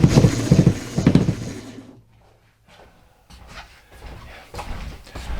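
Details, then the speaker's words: BAL Accu-Slide RV slide room (not flush floor) being run in before repair; uneven clunks and knocks about twice a second as the mechanism skips, then silence. "So, I'm going to try and run it in. You'll hear it just skipping and all kinds of fun stuff."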